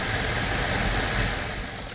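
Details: 1992 Chevy Silverado C1500 blower motor bench-tested with jumper wires on the wiring harness: steady whooshing fan at even speed, no squeal or scraping, running normally.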